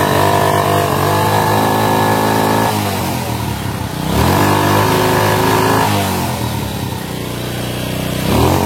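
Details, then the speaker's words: Honda Supra motorcycle, carbureted, won't rev to full and throttle returns slowly, like a choked carburetor; cause not yet found: revs climb but stall short of full, then sag back slowly to idle. "Jadi kalau di gas itu nggak mau full suaranya ya. Terus gasnya itu agak sedikit lambat turun."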